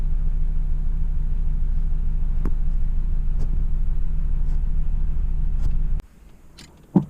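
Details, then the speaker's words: Van with the check engine light on and code P0302, surging with no power. Started at idle, it gives a low rumble with an uneven, stumbling beat about three times a second: a rough idle from a cylinder 2 misfire. "my wife said that she's driving down the road and all of a sudden the car is just surging or misfiring as you can see I started it and it's got a rifle idle on it no power"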